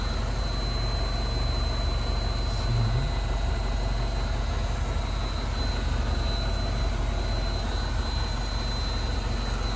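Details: MINI Cooper R56 non-S, engine running: a thin, steady high-pitched whine from the centre of the left fuel tank, heard after replacing the charcoal canister. It mostly stops when the metal band is touched by hand; owner suspects an electrical issue.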